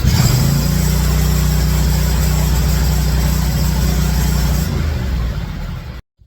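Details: Zero-turn riding mower that clicked but wouldn't start, after a simple repair: engine catches right away and holds a steady, even low drone for several seconds before shutoff; runs healthy.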